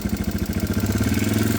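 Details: 2002 Yamaha TTR 225 after battery replacement: crisp single-cylinder thump, steady and even with no rattle; healthy idle.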